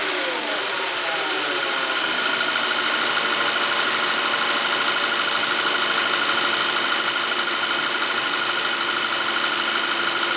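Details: VW Tiguan TSI: light, sharp ticking about three times a second at idle. Owner doubts it is normal direct-injection injector noise; the ticking is rpm dependent and disappears above a certain engine speed.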